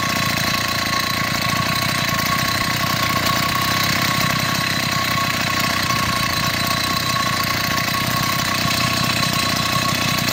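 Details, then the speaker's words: Chinese 80cc two-stroke motorized beach cruiser bicycle engine after spark problems, with a new spark plug, boot and performance ignition; carburetor issues persist somewhat: fast, even buzz with a crisp steady firing rhythm and no misses. Normal running. "it's came together and right now it seems to be working goods and knock on wood talk to you later"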